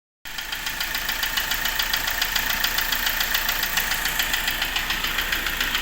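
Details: Hyundai i20 engine with a sharp regular ticking knock about three and a half per second over the engine hiss; engine knocking.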